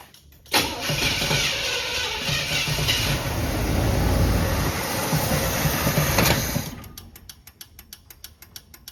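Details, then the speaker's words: Early-1980s Chevrolet Monte Carlo parked about 20 years, with varnished gas, fed fuel down the carburetor: catches, runs rough about six seconds, then dies; owner suspects a bad fuel pump or clogged fuel line. "Yeah, I don't think it's pulling gas at all. It would have been running by now if it was. Probably bad fuel pump or clogged fuel line."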